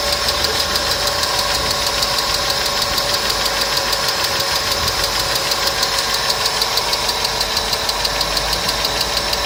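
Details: Customer's engine at idle with noisy hydraulic lifters, started after an additive was poured in, which later cured the noise; fast even ticking about three per second over steady idle, hydraulic lifter tick.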